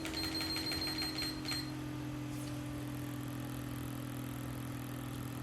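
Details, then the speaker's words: Artlii Stone 1 projector cooling fan on a bench supply, voltage lowered from 12 V to 2 V for noise reduction: soft steady low hum with faint even tone and no rattle or grinding; fan spinning quietly at reduced speed. "je descends a dit volts et pour terminer je me mets à 2 volts"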